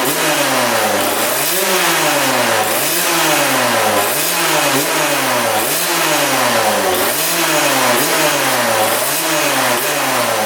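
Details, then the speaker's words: 1999 Suzuki RM80 two-stroke after repositioning the coil boot, before the plug change: revs surge up and down every 1.5 seconds, never settling to idle, near stalling. Erratic running, later improved by a new spark plug. "W now I just died again really odd all right we changed up the spark plug now she's running a lot better"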